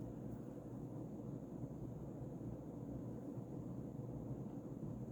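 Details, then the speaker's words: Early-2000s Casablanca Panama II 50" ceiling fan, XLP stack motor on Low Ceiling Adaptor, on high: steady even air rush, soft low motor hum, very minimal wobble, no knocking or rubbing; airflow good; normal high-speed operation. "so there's a very minimal amount of wobble but the airflow is really good it's actually a lot better than I would have thought being a LCA like a close to ceiling version"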